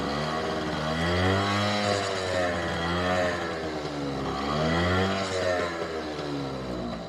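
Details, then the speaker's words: Honda NU50 Runaway (Urban Express) 50cc two-stroke scooter, cold on its automatic choke: revs up and settles cleanly without stumbling or popping; runs well on choke, though owner reports it cuts out once the choke comes off despite carb cleaning. "So we start it up, and it's actually a really lovely engine."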